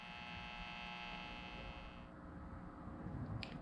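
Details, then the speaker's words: Colonial Model 604 tube radio being tuned late in the afternoon: a steady buzzing hum under static across the band, worse at the upper end, with no stations. External interference, likely from streetlights, not an internal fault. "I was trying to tune this thing late in the afternoon and I was getting horrid static across the band and I could not seem to figure out if it was an internal or external problem well now that it's the next morning I can definitively say that it is an external pro"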